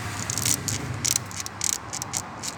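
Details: Timing belt, within service interval, about 20,000 km run; sharp hissy scraping chirps burst irregularly over low engine hum, getting very loud after about 10 minutes of running; belt rubber rubbing on pulley metal.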